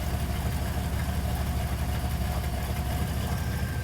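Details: Engine on a Holley carburetor, after adjustment, settles from hunting into a low, even idle rumble that holds steady without surging; normal idle.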